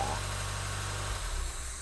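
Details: 1990 Mazda Miata NA, starting up after a top-end engine rebuild: a steady low engine rumble that settles and fades after a moment, no knocks or misses; engine runs normally.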